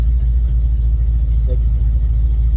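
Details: 1971 Chevrolet Monte Carlo V8, barn find revived after about 30 years, with varnished tank and suspected partly plugged fuel sock: deep, steady low rumble through the mufflers with no misses or knocks; normal idle, nearly ready to drive.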